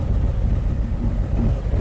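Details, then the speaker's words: 2023 Harley-Davidson Street Glide ST Stage 2 (CR483 cam, Bassani header, ThunderMax) idle tune approaching 180°, everything where wanted: deep even lumpy rumble, steady beat, no ticks or pops; normal warm idle. "All right, we're approaching 180°. Everything is still just right where we want it."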